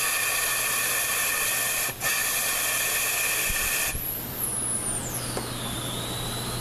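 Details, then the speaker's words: ZF 5HP24 transmission with no reverse when hot, air-checked with the old worn sun shaft bushings reinstalled. A loud steady hiss shows air bypassing; the C clutch needs the air gun trigger half pressed, versus under a quarter with new bushings. "Okay, these are with worn bushings. Okay, the clutches are going on, but I got the trigger of the air gun, probably halfway down versus, just not even a quarter way down to get the C clutch to apply. You hear all the air leaking?"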